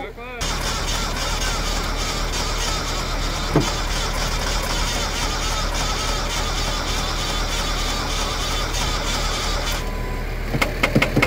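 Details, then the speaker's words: 1978 Datsun 280Z, first start attempt in 30 years; slow, labored, uneven cranking for about ten seconds without catching after the starter was seen smoking; starter motor judged dead and to be replaced. "So, starter is toast. We can't get anything more out of it. So, we're gonna have to order one before we try cranking anymore."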